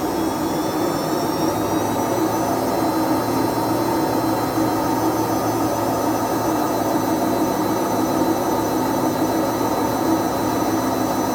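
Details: Whirlpool/Vestel washing machine after exactly one year with bad drum bearings, loud steady jet-like roar with a climbing whine at spin that keeps getting louder but the machine still runs: worn drum bearing roar.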